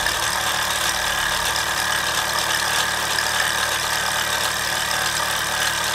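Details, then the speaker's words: Mamod SR1 steam roller (1963/65, probably 1965/66), aluminium wheels with rubber tyres, running on rollers: steady hiss, fine even chuffing, whistle now pressure tight with no leak; more poke than before; healthy running. "Definitely got more poke than before."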